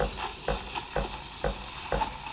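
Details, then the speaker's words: De'Longhi La Specialista Prestigio steam wand with the tip brought up to the milk surface: steady hiss with regular tearing chirps about twice a second as air is drawn in; normal surface aeration making microfoam. "Dès que ça se lance, on va venir à la surface du lait et on entend le bruit qui change, comme ceci. Là, il faut rester bien à la surface du lait"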